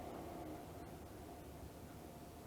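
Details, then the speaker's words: Levoit LV-H133 air purifier after repair of a loud rattle, running on medium with the inner grill cover off: steady airflow rush with a low hum, no knocking or rubbing, slight vibration; more vibration at high speed. "that's on medium now and it is running pretty quietly I can feel a little bit of vibration but it's not an excessive amount of vibration"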